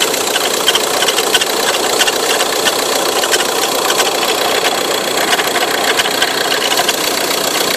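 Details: Ford Tourneo Custom engine running with a faint, fairly even tick-like rattle over a bright hiss; owner suspects belt noise, unconfirmed.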